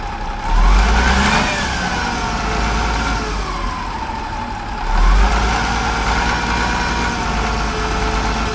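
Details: Cat D7F dozer, old military tractor bought non-running at auction, after start with ether and glow plug preheat: deep steady diesel rumble with two brief throttle swells, settling to even idle, no knocks, misses or blow-by; healthy.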